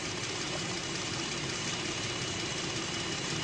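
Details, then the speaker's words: 2018 Jeep Grand Cherokee 3.6L V6 after repairs for a cylinder 5 misfire and a fuel-injector-stuck code (fuel injector, spark plug and coil replaced): engine now idles smoothly and evenly, with no stumble, skip or knock. "We did uh fuel injector, spark plug, and a coil. So, she had a little she had a little misfire, but sounds good now."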